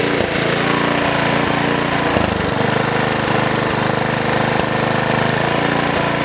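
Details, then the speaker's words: Lawn mower engine running with the blade removed. Choppy, uneven chugging at about three beats a second instead of a smooth hum; it runs rougher with no blade fitted. "so that's what a lawnmower sounds like running with no blade on it"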